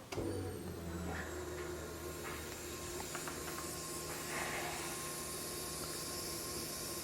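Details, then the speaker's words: LS-swapped Nissan 300ZX before first startup: the fuel pump is tested by grounding its relay wire to the battery negative, because GM sends 12 V where the relay expects ground. Steady faint electric hum with a high whine as the pump runs and pressurizes the fuel system normally. "think you guys can hear that fuel pump is working it just needs to be grounded"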